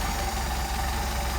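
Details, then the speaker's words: Mercedes 190SL with rebuilt Solex carburetors, idle mixture screws adjusted for best idle: even, steady beat with no misses or stumbles at about 775–800 rpm, idling as low as 575 rpm; normal idle. "right now running about 7 75 almost 800 which is a nice idle."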